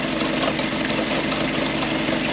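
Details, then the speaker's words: Historic Ford Willys Jeep "Go Devil" engine, long-stored, after points cleaned, fan belt tightened, choke being tuned: even, steady idle with smooth unbroken rhythm, no knocks or rattles; purring like a kitten, normal idle. "Purring like a kitten."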